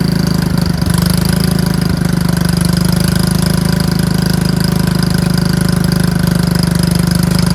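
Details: Lawn tractor with a dead battery reading 9 volts, started on a jumper pack: the small single-cylinder engine catches and settles into a steady, even putter with no stumbling; normal running.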